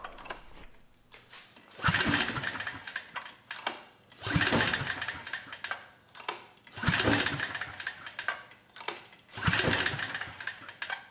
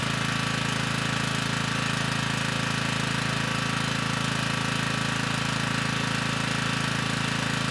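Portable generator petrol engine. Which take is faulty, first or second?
first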